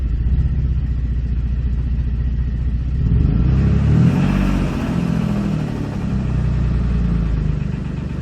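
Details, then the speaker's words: 2007 Dodge Nitro running with under 4 psi oil pressure, before oil pressure sensor change: loose rattle under the rumble rising with revs; owner suspects a spun bearing. "I can't tell you what what all that rattling is sounds like she spun a bearing"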